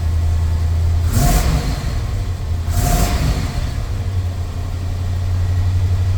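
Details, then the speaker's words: Chevy square-body crew-cab dually with 454 V8, after O2 sensor replacement, warming up: steady deep idle with even low rumble and brief noises over it; runs settled, more responsive and better than before. "It seems a lot more responsive without bogging down. Wow, I think it is a lot better there, guys."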